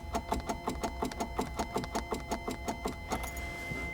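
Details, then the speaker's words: 1980 Triumph TR8, clutch fully down, in neutral, key turned: fast, fairly even clicking about three per second with no cranking; starter solenoid clicking, no crank, not yet diagnosed. "It's not cranking over. I've got the clutch all the way down. It's in neutral. You can hear it click."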